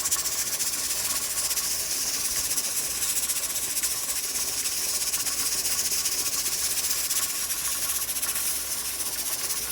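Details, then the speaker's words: Pressure canner on an electric stove at 10 pounds of pressure, canning chicken: steady hiss of escaping steam with a soft, quick rocking rattle from the jiggler weight; holding pressure normally. "So we are at our 10 pounds of pressure. Here's what the jiggler sounds like."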